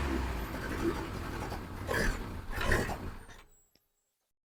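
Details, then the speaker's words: Injected VAZ 2109 (ВАЗ 099) cold morning start: lumpy idle surges a few seconds then dies; won't hold idle, high fuel consumption, started when weather turned cold; owner suspects a sensor, plans to replace MAF (ДМРВ); cause unfound. "Ну що поломалась моя машина це99 інжекторна що з нею заводиш її зранку не тримає холостий великий розхід палива"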